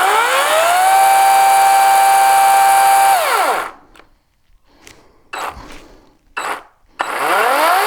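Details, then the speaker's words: EGO cordless saw used several seasons, with a throttle/electronic fault that has worsened: the motor whirs to a high whine, drops out for seconds with faint clicks, then spins up again. Intermittent, unresponsive drive; owner suspects an electronic issue. "okay did you hear that it it took a few seconds for it to get going and then when it did get going it went and it does that while you're cutting it it's frustrating it's gotten worse"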